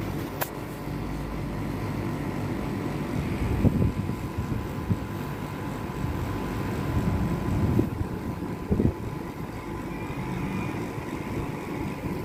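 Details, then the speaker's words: Daikin R410A air conditioner after replacing the capacitor: the outdoor unit's compressor and fan run normally with a steady, even low hum and fan rush, no knocks or rattles, and cooling has resumed. "nah ini dia teman-teman, AC sudah menyala kembali dan kompresor sudah berjalan normal."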